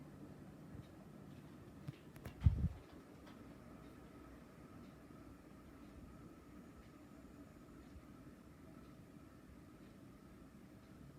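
A ceiling fan runs with a low, even hush and a faint steady tone, with no bearing grind or rattle.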